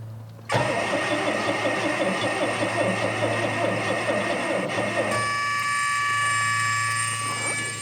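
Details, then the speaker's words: 1979 MGB after trying to seal vacuum leaks: starter cranks the engine at an even, brisk beat for several seconds but it never catches; compression and spark seem present, timing unchecked, the engine not getting fuel. "And it sounds like it's got compression. It's got spark. I haven't checked any timing or anything."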